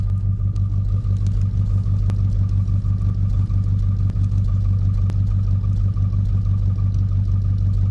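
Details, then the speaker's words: 1947 Ford truck flathead V8, sat for 5-6 years, after a big vacuum leak was fixed: a smooth, steady, deep idle rumble, with the vacuum gauge now reading where it should. "Well, that sounds a lot better. Now let's see what the old vacuum gauge says. Oh yeah. She says she's where she's supposed to be."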